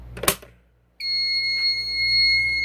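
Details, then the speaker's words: Fire alarm panel, pull station on zone 1 activated: a sharp click, then a loud, steady, unbroken high-pitched piezo tone as the panel goes into alarm. "the panel just went into an alarm because the pull station is activated. And you can see the alarm is going off."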